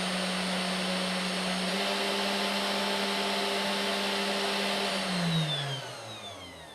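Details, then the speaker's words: 3018 CNC upgraded to a 400 W spindle, speed stepped from 100 up to 10,000 rpm: a clean, steady whine rising in pitch with speed, then winding down evenly with no rattle or grind. Normal, quieter than the old spindle. "1000 okay I'm not sure you can hear it but it's like start to get a bit louder 2500 well you can hear it now I think 5000 10,000"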